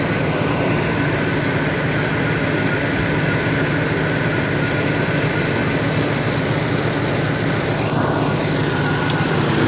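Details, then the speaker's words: Truck that revs up and down by itself, won't exceed 30 mph and blows black soot from the exhaust: steady, low, uneven rumble at idle with a ragged texture; rough idle, catalytic converter suspected but unconfirmed. "so i don't know what that noise was i can't tell if y'all were able to hear that either it just sounds rough and there it goes revving up again"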